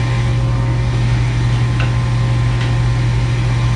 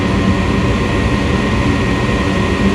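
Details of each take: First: Furnace showing error code 3, pressure switch stuck open, so the inducer motor runs continuously. It makes a steady low hum at a much higher rpm and sounds different from the day before. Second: Furnace startup on a call for heat from the thermostat: relays click, the inducer starts and purges the system of harmful gases. A steady, even rushing hum with no rattle or surging; the inducer is drawing well.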